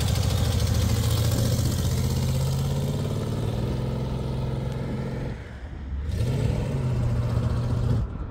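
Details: 1974 AMC Javelin V8, sat about 20 years, with AC on and under load: lumpy uneven pulses with revs dipping and recovering — rough running, transmission also slips; cause not pinned down.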